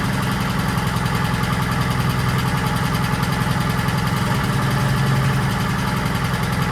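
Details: 1940s Allis Chalmers D5/HD5 crawler, two-stroke Detroit 271 diesel, first run after many years retired: steady, fairly even beat about three and a half pulses a second with gruff low drone; smoky, owner suspects problem injector.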